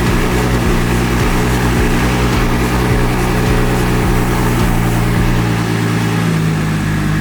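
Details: BMW M340i xDrive, first run after fitting a Precision 72/75 turbo kit with dump valve and oil service: steady, even, unbroken idle with no ticking from exhaust leaks; healthy first start.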